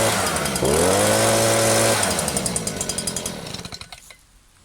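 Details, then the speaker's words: New Stihl SH 86 / BG 86 leaf blower at first start-up, revs climb to a soft full-throttle note lacking bite; very rich on the high jet as expected when new, to be leaned out after a couple of break-in tanks. "this one is sounding very very rich on the high jet which is to be expected so that's definitely going to be leaned out"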